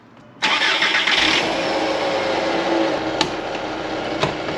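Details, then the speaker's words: 1999 VW Golf MK4 at start-up after an alternator replacement: it cranks and catches, then settles into a busy idle with a steady mid-pitch whirr and odd ticks. It hasn't sounded right since; the owner suspects the alternator but is unsure. "It's not supposed to sound like that. Since I replaced it, the engine has not sounded right. I think it's the alternator, but I could be wrong."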